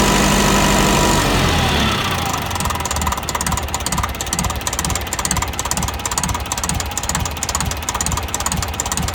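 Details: Uneven, lumpy idle with a regular knock a bit over twice a second and a slight stumble in the beat; suspected misfire (TEF?), cause unconfirmed.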